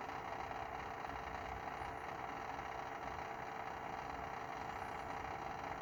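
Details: BMW F30 after engine is switched off: steady even hum with a faint whine continues running and drains the battery; cause unknown.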